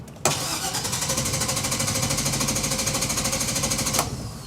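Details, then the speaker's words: 2000 GMC Savana school bus, 5.7 small-block V8, intermittent no-start, no codes, coolant 150°F: starter cranks steadily at about three beats a second for nearly four seconds without firing. Crank no-start; fuel pressure only 15 psi against the 55 needed. "That's why we're not starting. We have 15 pounds of fuel pressure."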